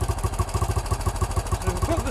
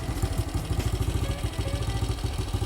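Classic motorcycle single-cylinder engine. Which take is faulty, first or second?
first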